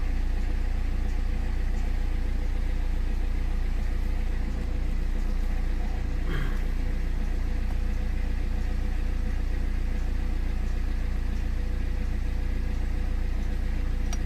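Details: 2008 BMW E60 520d diesel, cold idle after fitting a battery, before scanning for limp mode and radiator fan issues: even diesel clatter, no misses or knocks, no fans running.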